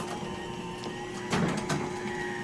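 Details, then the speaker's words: Genie 1035 chain-drive opener on a 4x3'6" Midland door, closing with safety sensors knocked out of line: steady motor hum and chain whir, then a quick clunk as it instantly reverses; reverse is fast but not harsh, full-open stop is sudden. "so reverse is pretty quick but it's not that harsh with it it does uh it's just when it gets all the way up and stops it's kind of sudden"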